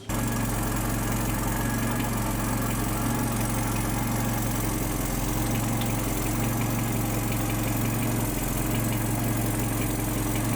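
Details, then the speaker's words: Datsun 120Y after filter and oil change plus timing and idle adjustment: steady even idle with smooth low throb, no knocks or stumbles; engine running nicely. "um it seems to be running pretty nicely now so uh yeah I'm pretty happy with the result and now I can rev it and drive it and that's really good"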